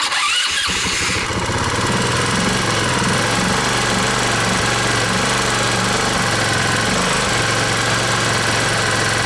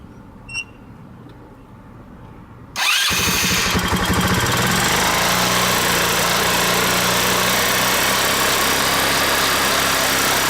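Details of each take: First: 150cc scooter after replacing a broken intake manifold spacer causing a vacuum leak: short crank, then fast steady idle about 2,500–3,000 rpm; runs better but idle still surges high at times, spinning the rear wheel; another leak suspected. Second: 150cc scooter starting and idling fast and rough with a hunting, uneven beat and no throttle. The idle screw was turned way up to stop stalling and the wheel spins. Erratic high idle with vacuum leak symptoms, leak not yet found.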